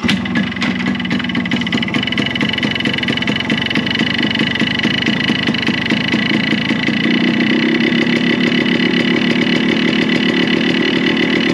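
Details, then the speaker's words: Yamaha RX100 two-stroke at raised rpm: buzz with a fast rattling clatter rising as revs climb; engine noise, owner suspects cracked or worn block/piston, block and piston being replaced. "यह देखें [संगीत] क्या चीज का noise है थोड़ा RPM इन का बड़ा देते हैं"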